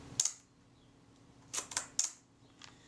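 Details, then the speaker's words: Leaf shutter from a serviced camera, reassembled with the speed cam plate, fired at 1/8 and 1/15 s: crisp, clipped snaps that sound fast. The tester confirmed about half a stop fast, so the speed gear train needs moving. "possibly fast i'm going to go and check those on the tester"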